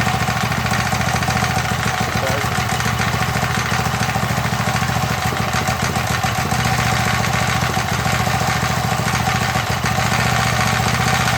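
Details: MTD edger with 3.5 hp Briggs engine that had been sitting non-running, after repair with RPM raised: steady, even, rapid single-cylinder putter with no misses or surging; running smoothly and healthy.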